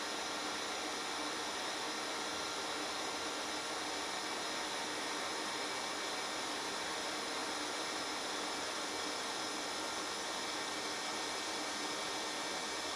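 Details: HitBox 200A dual-voltage TIG welder at 70 amps, sharp tungsten: smooth even hiss with no crackle, popping or sputter; very stable, consistent arc.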